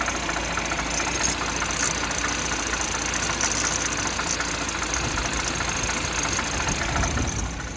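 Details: Light, smooth chain-rub rustle at steady idle on a 1.6 THP with newly replaced timing chain, no clacking or knocking; normal for a chain, slight cold noise comes from the cylinder head, not the chain.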